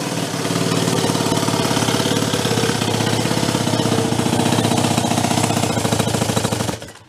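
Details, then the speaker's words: Homebuilt motorcycle with two small engines from OCC twin chopper bikes, first start in years, primed with choke backed off: rapid, uneven, lopsided popping that then dies; it sounds like it is running on only one engine. "sounds like it's running on one we'll give it a second"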